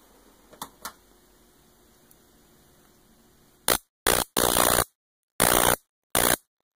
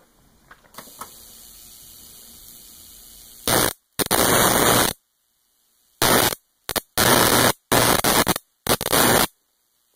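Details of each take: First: Homemade Leyden-jar capacitor now charged DC through a high-voltage rectifier diode, positive leg to one ball: five sharp crackling bursts in under three seconds over a faint hum, less noisy than before; normal capacitor discharge spark. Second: Homemade jar (Leyden) capacitor charged from a 60 Hz AC high-voltage supply and discharged across a jumper cable: harsh, snappy crackling bursts of about a second buzzing with the mains cycle, unlike the earlier smooth spark; charging in spikes makes it snappy.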